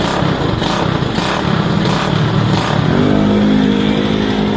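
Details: Rusi motorcycle, small single, test-run after fixing sudden stalling and no-start: revs up and settles into a steady, even beat with no knock or clatter; engine running normally.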